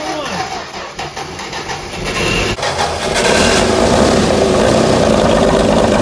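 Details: 1964 Dodge Dart station wagon, 170 slant six with push-button automatic, first start after 25+ years parked outside: cranks briefly, catches and settles into a loud, even, unmuffled idle, no rattle, sounds like all cylinders firing; normal idle.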